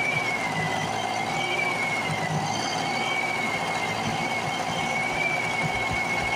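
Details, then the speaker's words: A rusty Speedway Series 1000-watt two-stroke portable generator from an auction, started with a makeshift pull rope, buzzes at a high, even pitch with a slight waver and no misses or knocks. It runs normally. "i'd say she's gonna be a runner for sure"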